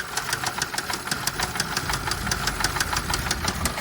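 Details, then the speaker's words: Car at auction yard, just started: sharp metallic ticking knocks about three a second over a rough, uneven idle; internal knock of unknown cause, no low-oil-pressure warning shown, only drivetrain malfunction. "oops that is very bad like it it really is guys very bad like this it sounds like it sounds horrible"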